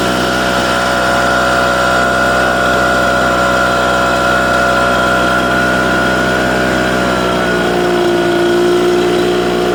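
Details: Echo PB770H two-stroke blower with a hot-restart problem, restarted hot with no prime or choke: smooth, even drone at steady pitch with a small settle near the end; runs cleanly.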